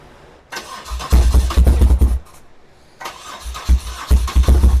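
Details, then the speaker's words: 1978 BMW R100S airhead twin, first start attempts after years sitting, choke off then on: two bursts of uneven, lumpy firing that die between tries, lots of smoke; owner thinks fuel flooded the carb; hard starting, consistent with a clogged carburetor. "Try without the choke. It's a lot of smoke. Whew. Turn on the fan. I think a lot of fuel might have gotten into the carb."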